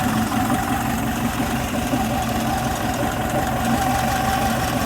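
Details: Air-cooled Type 4 VW 2056cc engine with 96mm big bore cylinders, fresh rebuild, idling: soft regular pulse, no knocks or rubbing. Runs really smooth.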